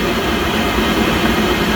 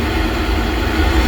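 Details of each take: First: Pentair Master Temp 400 heater not heating: combustion fan runs, heating light flashes, gas solenoid clicks and gas smelled but no ignition; steady fan roar, no light-off; vacuum switch tested good, igniter suspected. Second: Pentair Master Temp 400 heater after replacing the failed igniter: steady low burner roar, even rumble, no clicking or cutting out; ignition failure fixed, now firing and heating normally.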